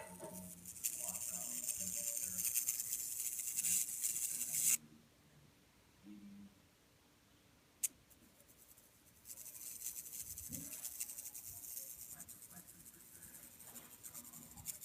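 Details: Samsung UN46F5500AFXZA TV: harsh, hissy, scratchy crackling buzz that cuts out abruptly and returns, from the power board; owner unsure whether the transformer is the source, with no loose solder joints seen.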